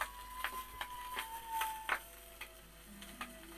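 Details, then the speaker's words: BSR turntable playing a 78 record: music wavers in pitch once per platter revolution, likely caused by a very tight, stiff platter bearing. "Very tight bearing on there, that's the reason probably why it's so much wow. The wow's at every revolution of the platter"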